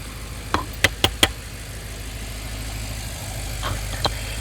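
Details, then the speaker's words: Rebuilt crash-damaged BMW M6 developing a knock about 5000 km after the rebuild, heard at idle through a stethoscope moved between components; a handful of sharp, uneven knocks then quieter running, source still unknown. "So now, by moving from component to component, I'm trying to allocate this awful noise by using the stethoscope."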